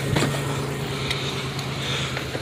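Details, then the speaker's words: 1993 Chevy Lumina restarted after stumbling at idle when parked after sitting several days. A steady, even idle with a smooth low hum and no stumble or misfire; it has always had a very minor occasional misfire. Normal idle. "right now it sounds like it's running normal now to be fair I did sit like at least two days"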